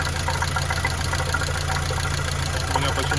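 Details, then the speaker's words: Mercedes W212 M271 at idle with hydraulic lifters ticking again: light, uneven tick from the top of the engine. Oil level is full. The owner suspects coolant entering the oil, having seen greenish foam under the cap. "Они снова начали стучать. Вот так, по сути, они и гремят. Что касается масла, уровень масла полный. Слышен стук где-то сверху."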